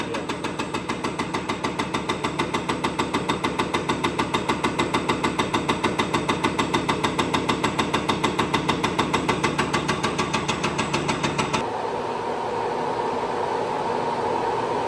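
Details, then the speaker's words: Spare diesel injector on a test stand: sharp, very even clicking about three per second, then it cuts out. It sounds different from the Detroit injector tested earlier, and the stand shows fail; a bad injector. "That's going to be a bad injector, yeah. It's crazy. I've had that in my side box for a spare."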